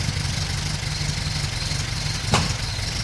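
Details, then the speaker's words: Classic Mini first start after swapping the HIF44 SU carburettor for a larger carburettor, no adjustments made yet: fires straight up and settles into a steady, even idle with a clear low beat, no misses or knocks; healthy. "Beautiful. That's what we like. Can't believe it's worked so well. Straight off the bat."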